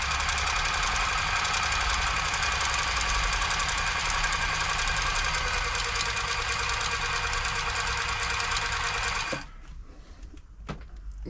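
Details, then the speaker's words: New Home L-312 sewing machine during service, after oiling the top rub points, bottom not yet done: fast, even clatter about 220 strokes a minute with no catches or knocks; running noticeably smoother and loosening up. "I can already feel the machine loosening up a little bit. It won't get it fully loose until I do the bottom. You probably hear it how much smoother it is now."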